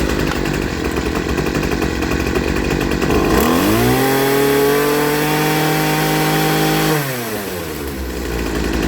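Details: Poulan Pro 25cc two-stroke trimmer after a new carburetor and fuel line kit, with high and low jets adjusted; it idles, revs cleanly to a steady high scream for three seconds, then drops back to a smooth idle, well tuned.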